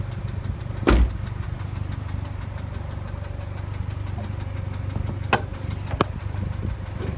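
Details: 2006 Mazda NC Miata at steady low idle with a faint tapping knock running underneath. Source not pinned down; a VVT actuator noise is suspected.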